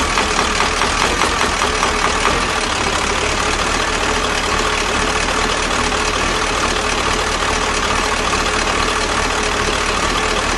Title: Стук в двигателе проблема в флунжере )КамАЗ